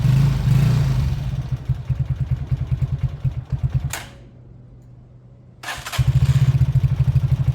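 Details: Beaten-up old Lexmoto single-cylinder bike after the carb fuel feed was fixed: a fairly even idling putter dips briefly quiet, then picks back up to a steady beat. Normal idle and revving.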